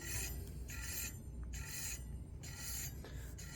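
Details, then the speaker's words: Bicycle front disc brake, after pad adjustment, wheel spun by hand: a scraping rasp about every 0.7 seconds as a wobbling rotor catches the pad at one spot; rotor rub from a warped disc. "so it is still uh rubbing and what I noticed is that actually the disc has a little wobble so there is a area there where it's rubbing against the"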